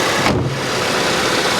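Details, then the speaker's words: Salvage auction Audi A3: steady, even idle with a smooth low hum and no knocks or misses; runs great. "She runs absolutely great."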